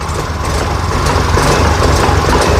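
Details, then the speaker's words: Yamaha Fino fuel-injected scooter with hesitation/brebet when ridden, idling without throttle: steady, low, dull, smothered idle with no crisp firing; sluggish response, injector targeted for fixing before fuel pump. "Nah, kita lihat ini terasa mlebeb ya. Terasa mbekep."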